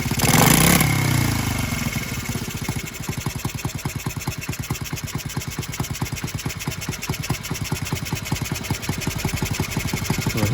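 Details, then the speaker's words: Honda Z50R restoration, first start after valve adjustment with cylinder head bolts left finger-tight: small single idles with a sharp, even ticking puff about three times a second; loose cylinder head leaking, still running well. "cylinder heads loose well that's fun it's not a big deal though i mean little leaking cylinder head it's still running ridiculously well right there"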